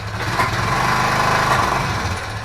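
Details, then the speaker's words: Honda Foreman 500 ATV being refurbished, started without choke or primer on about half a tank of fuel: light single-cylinder chatter at a fast idle broken by a couple of sharp misfire pops. Owner suspects a valve; not confirmed. "Got a little pop there. I had to bet, I bet that's a valve. Yeah, I believe we got some valves flooded there."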